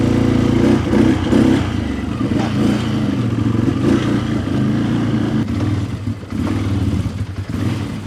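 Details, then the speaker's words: 2011 Can-Am Outlander XTP 800 before repair, at steady throttle: rough idle, uneven lumpy pull with no crisp rise, well down on power. Suspected low fuel pressure from a bad fuel pump or clogged pump sock filter. "give her some gas it actually seems okay right there but but I promise you this thing way down on power"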